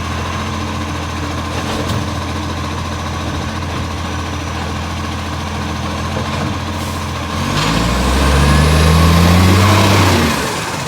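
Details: Brisbane garbage truck 707 diesel idling: steady fast puffing tick about four per second, swelling as the truck works; exhaust leak.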